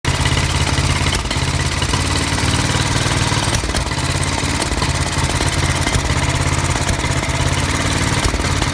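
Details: Old Norton 500T single-cylinder engine idling unevenly with occasional sharp backfire pops from carburettor misfire.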